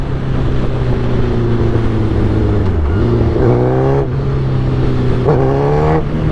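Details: 2008 Suzuki GSX-R 1000 with new velocity stacks, on 93 octane with fuel cleaner: steady low drone at low revs that sags and stumbles three times, then recovers. Owner suspects the clutch. Low-rpm stutter, unconfirmed.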